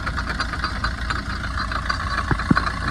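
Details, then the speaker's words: 2011 Tata Vista diesel, 124,000 km, idling: uneven rattle with a few sharp knocks, caused by a completely broken drive shaft intermediate bearing housing with a loose bolt, heard once the timing-chain noise was silenced. "சுத்தமாக உடஞ்சி போயிட்டுருக்கு. இதனால தான் இது ஒரு noise வருது."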